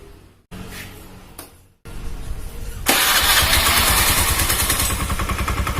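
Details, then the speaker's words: Honda Beat carburetor scooter with broken CVT drive belt: engine catches and revs freely and high, flaring unchecked with no load on the front pulley, and the scooter won't move. "Oke seperti itu yang terjadi sedih saya naikkan rpm nya Joe dianggap tetep gak bisa jalan dan bunyinya tokoferol itu karena nggak ada beban sama sekali di bagian puli depan"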